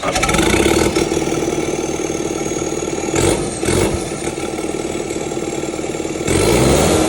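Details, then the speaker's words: Kubota SVL 75-2 diesel, tuned, DPF/EGR delete, first start after fitting bigger SVL 97-2 turbo (about 115-120hp), exhaust unfinished: fires straight up, blips, settles to steady even idle, no knocks or oil leaks; healthy. "There you go, boys. That's what it sounds like with the new big turbo on."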